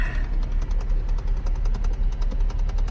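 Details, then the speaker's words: Old Cadillac with HVAC trouble: steady clicking just under two per second over a low hum, as the blend door actuator box is broken inside the dash and air won't come out of the vents. "anyway as you heard by the clicking the blend board box is bad inside"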